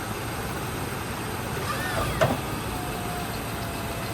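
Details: Old square-body Chevy V8 plow truck first started in about 20 years, a little smoky: steady, even idle with no skips or stumbles, not missing; running smoothly and healthy.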